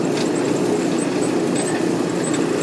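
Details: Old Maytag natural-gas dryer (model CDG46, 18,000 BTU, possibly 1960s), after replacing the high-limit switch (210°F to 250°F) for a low-heat problem, panel open: steady drum rumble with a soft motor hum and burner roar, no knocks or squeals; running healthy.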